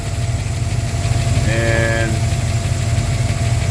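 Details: Mustang engine idling with new Holley Sniper electric fuel pump giving constant pressure (old pump only 3–4 psi), return line and Holley dead-head regulator: low, steady rumble, even beat, no stumbling or hunting. Normal idle.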